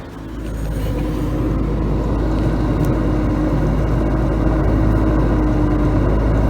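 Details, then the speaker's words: Samsung dishwasher draining during cycle, AC running nearby: steady low hum with soft even whir, no knocks or rattles; drain pump running normally though somewhat noisy. "this is how the noise makes while the pump is running"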